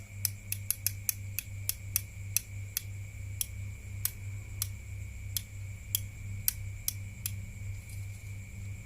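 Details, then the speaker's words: Two-door refrigerator defrost timer type 13 turned slowly right: sharp, irregular clicks over a low hum. The first, smaller click is the defrost position, quieter than the second click; a normal detent. "Anda putar arah ke kanan sampai berbunyi suara klik yang pertama, yang suaranya lebih kecil daripada suara klik yang kedua yang suaranya lebih besar."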